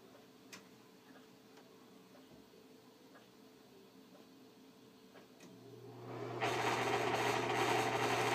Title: Bad bearings exhaust fan